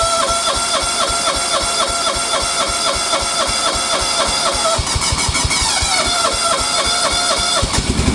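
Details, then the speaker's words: Kawasaki FB460V small engine, after years on ethanol gas, suspected carbon fouling treated with new plug and a bottle of Seafoam: even steady firing pulses at idle, then smooth rise in speed; runs healthy, sounds really good. "she actually sounds really good uh that's kind of a testament to that seafoam stuff"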